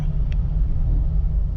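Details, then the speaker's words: Jeep Wrangler TJ, warm after about 5–8 miles, pulling away in gear from an intersection: deep uneven rumble that surges and sags, audibly misfiring with RPM bouncing. Rough running under load, cause not yet found. "See if I can pull out of this intersection without stalling here. Can hear it misfiring right now."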